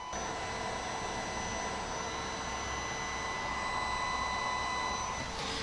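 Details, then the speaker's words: Carlsbro Powerline 300 amplifier load test, channel one driven to clipping into a dummy load: the resistor load gives a steady piercing high whine with a fainter overtone, normal singing. "Now, I don't know if you can hear it on my mic. The rear stat is actually singing."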